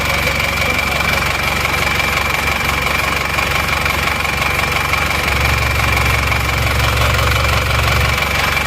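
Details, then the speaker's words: Isuzu Panther LV diesel at the shop idling, owner complains of noise rougher than typical: harsh, uneven clattery knock over the rumble about 2.5 per second, not smooth; rough idle, cause unconfirmed, mechanic says teardown needed. "Oke teman-teman sudah sampai di bengkel ini memang suaranya agak suara kelek gitu ya Jadi kurang halus memang saya mesin kurang halus ini"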